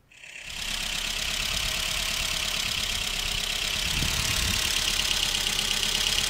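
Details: 2013 Honda Fit with P0302 cylinder 2 misfire, blinking check engine light, no power on acceleration: petrol engine idles unevenly with irregular stumble from a cylinder misfire.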